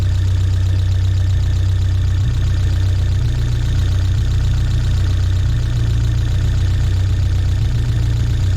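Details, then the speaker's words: 1979 Fiat 124 Spider, about 3,000 miles: the mechanical ignition timing has drifted retarded to about 2.5 degrees with the vacuum off (12.5 with it on), leaving a steady but low idle with no misses. Retarded timing. "And when we pull the vacuum off and shoot it, the timing's walked itself back. So it's almost at 0. I'm going to say it's like 2.5."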